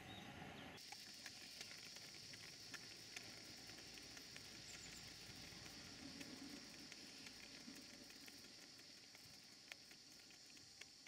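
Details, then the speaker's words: Stuart Models beam engine, rusty from cellar storage, on Castle Steam V6 model boiler: steady hiss of safety valves blowing off covers the exhaust beats, light patter underneath; runs well, normal running. "engine always did run very well and it's still running very well it's just a pity about the rust because it's been stored in the cellar"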